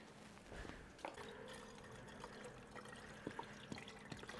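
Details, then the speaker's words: BMW E92 320i after rebuilt engine install, electric water pump run manually for coolant bleeding (ignition on, fan lowest, pedal pressed 30 s); faint steady hum under gurgling coolant in hoses; electric coolant pump circulating normally. "now you can hear the pump"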